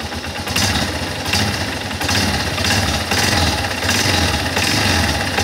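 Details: Guerrero 250 ATV single-cylinder quad revving in repeated pulls: harsh, rasping note swelling each time the throttle opens, a noise on acceleration; source unclear.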